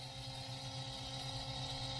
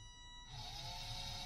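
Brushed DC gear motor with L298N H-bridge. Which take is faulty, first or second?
second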